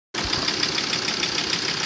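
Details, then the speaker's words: Ford Transit, after driving 25 km: sharp, regular knock at idle about six times a second, which goes away when the third injector is disconnected. The owner suspects a dead or over-fuelling injector, or detonation. "Вот такой звук появился теперь на холостых. Короче. Отключаю третий. И стук как бы убирается."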